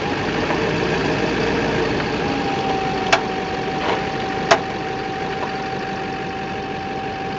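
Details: 2008 Chevrolet Silverado 2500 Duramax idling with a few sharp isolated pops while steering; cured by cleaning, greasing and properly torquing the four engine crossmember bolts; popping noise when turning.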